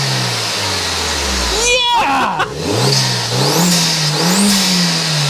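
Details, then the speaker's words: Mk1 Audi TT 225 BAM turbo with a newly fitted Cloude 9 Customs induction kit and heatshield, first rev once warmed up: clean rise and fall with a loud open intake roar and turbo whoosh, louder than expected. "wow what a difference what a difference that's louder than I thought it was going to be that's a lot more that's a lot more prominent that I thought it was going to be"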